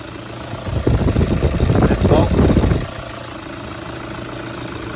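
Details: 2009 Toyota Hilux 1KD-FTV D-4D diesel, 218,000 km, after one faulty injector and its pipe were replaced: handling noise, then a low, even idle with a faint rattle from loose engine-cover nuts, cover off. Engine smooth; normal idle.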